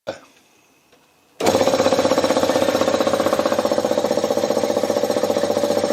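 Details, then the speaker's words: Converted Briggs & Stratton compressor pump driven by a larger replacement motor (previously half horsepower): fast, even pumping chug about four beats a second, straining as pressure rises to nearly 50 psi (three bar), nearly stalling at the end. "okay well it managed nearly 50 psi which is pretty good effort you could hear at the end though that nearly stalled out three bar nearly 50 psi"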